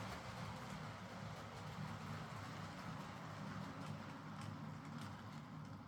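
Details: Hornby R.372 Class A4 "Seagull" model locomotive, tender drive, running after repair: quiet, even rolling rumble with light wheel clicks, no grinding or stutter. Stop-start running was likely from excess axle oil spoiling electrical pickup; the mystery noise was traced to the valve-gear parts. Runs fine and quiet.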